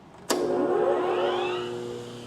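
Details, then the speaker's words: Baldor 12-inch pedestal grinder after dressing the wheels and readjusting the tool rests: motor switches on and spins up with a clean, steady hum and rising whine, no rubbing or wobble; running nice and true. "There we go. It's sounding good, and it seems like it's running nice and true."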